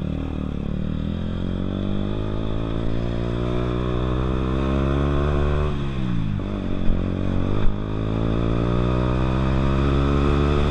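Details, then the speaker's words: Zontes fuel-injected single-cylinder motorcycle that keeps cutting out: idle sags midway, revs drooping low before catching again; idle set too low, owner suspects spark plug, plans injection idle adjustment; engine cutting out at idle. "so hopefully you did see that um test run there it um it did cut out it didn't it wasn't a sudden cut out this time which is which is something that's good it was a um like the idol was low"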